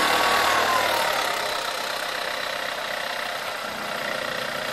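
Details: VW Scirocco TSI 122 cold start rattle: quick rattling tick roughly four a second, easing as revs drop into idle; owner suspects a relaxed timing chain, not confirmed.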